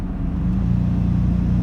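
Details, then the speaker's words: 2008 Ford Ranger XLT 3.0 with cylinder 5 misfire code, flashing check engine light, highest gear under full throttle: deep labored drone with uneven pulse, bogging and not accelerating. "you see how is bogging my foots to the floor puts to the floor right now an agent revving head three but it seems to not be going anywhere that's another symptom of a misfire"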